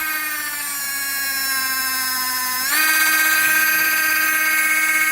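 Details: LGB small locomotive motor and reassembled gearbox on bench supply, voltage raised to 24 volts maximum: loud steady gear whine jumps in pitch then holds, no faults; normal gear whine at full speed.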